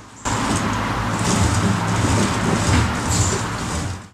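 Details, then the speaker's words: Vintage bicycle being fitted with a 100cc motor kit, pedal spun freely before bearing cleaning: continuous gritty, uneven crunching from mud and dirt packed in the pedal bearings, which the owner plans to wash and lubricate. "I want to take the pedals back off and clean up the bearings and everything, all the dirt in there, because you could still hear the crunching of the dirt."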